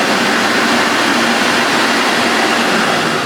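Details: Refurbished Electrolux 4x4 vacuum after restoration, boost on, running at max: loud, steady rushing roar, even pitch, no rattles or surging; motor running cleanly, slight burning smell noted.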